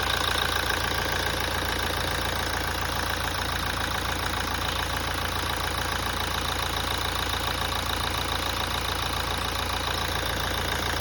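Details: 2017 Toyota at idle after a major service. A fairly even tapping repeats about three or four times a second over the running engine: a knocking noise, cause untraced.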